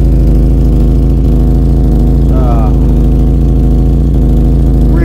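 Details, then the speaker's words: Vauxhall Cavalier Mk2 at idle: loud deep raspy drone with coarse pulsing rumble, far too open; rear silencer (back box) full of holes and blowing badly, worsened with use. "Okay, as you would have seen from that clip, the exhaust back box was blowing quite badly. It's got considerably worse since I've been using it."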